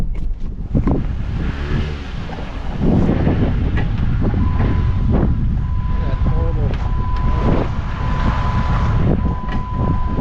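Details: Sharp, uneven clunks and crackles over low road rumble as a Jeep Patriot rolls over bumps in a yard: front suspension noise from worn lower control arms.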